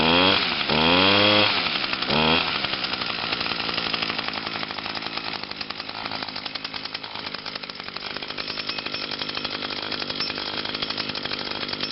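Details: 2011 Echo PAS 230 22.8cc two-stroke, cold and still breaking in (harder starting than the owner's other Echoes), revs up twice then settles to a steady, even buzzing idle with no hunting or misfire; normal running.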